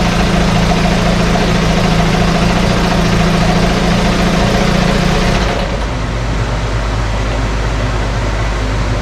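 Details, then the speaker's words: 1968 Evinrude Fastwin outboard in test tank, out of gear, no load, untouched, Sea Foam in fuel, no cold-start cough: steady even burble, smooth low drone, no misses or knocks; normal idle. "every time we start it up and running it runs a little better i do have some uh seat balls mixed in this particular fuel tank and it just keeps cleaning things out this one doesn't even have a cold start cough to it or anything"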